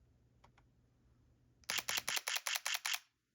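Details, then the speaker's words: Sony A7C II with 40mm f/2.5 lens, mechanical shutter, 1/125 s, f/2.8, ISO 2500: quick burst of about eight crisp evenly spaced shutter clicks; owner suspects a fake sound played through the speaker, since covering it changes the sound. "now what I am here to show is that I believe for some reason this camera has a fake shutter sound and I can't quite figure it out"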